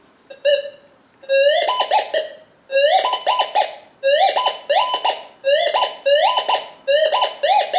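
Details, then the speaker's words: Minelab Gold Monster 1000 gold detector, indoor air test with a steel sample: warbling tone breaking into a quick double chatter on one side of the coil; steel target signature, distinct from other metals. "Now this is steel, so you can hear it do a double chatter going off the one side. So the steel actually does sound different than anything else."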